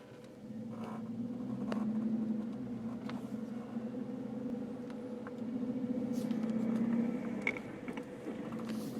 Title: 2010 JK strange vibration noise??